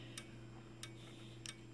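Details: Simplex 4903-9219 fire alarm strobe at 15 candela: crisp single ticks at about 60 flashes per minute with a constant high-pitched capacitor whistle; strobe charging and firing normally.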